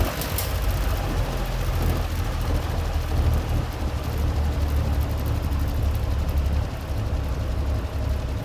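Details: Vintage Eskimo three-bladed box fan, possibly model 201370, year unknown, running on high speed: low steady hum and airy rumble with no rattles, scraping or wobble; normal.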